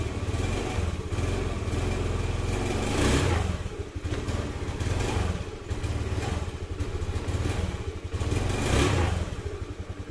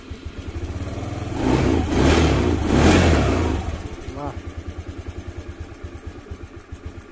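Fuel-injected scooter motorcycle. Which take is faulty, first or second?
first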